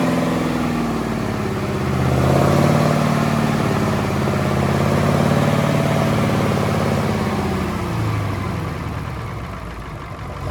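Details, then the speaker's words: Allis-Chalmers AC 440 tractor diesel after the faulty fuel pump was replaced with the pump from a 555. Smooth, even idle with no hunting; it picks up briefly on throttle and settles back cleanly. The loping is cured. "Well, we figured out what was wrong with it, the fuel pump. So, we put the other AC440 fuel pump on it, the 555 that we pulled out, and it actually runs really good. It's not loping on R on idle,"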